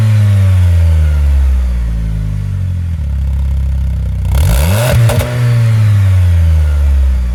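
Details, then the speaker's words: Jeep Patriot 2.4 after replacing stock muffler with a Thrush Turbo muffler: deep rumble climbing on a throttle blip and settling to idle, throaty and clean, no rattles or leaks; normal, racier exhaust note. "yeah I think the tips on a little crooked I'll have to fix that but overall I think it sounds pretty good so much more of a racy sound"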